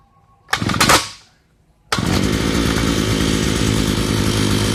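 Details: Thunder Bay Y43 two-stroke post hole digger, complaint won't start, fired after a little throttle: a short rev, then a strong, steady two-stroke buzz without sputtering or dying; running normally.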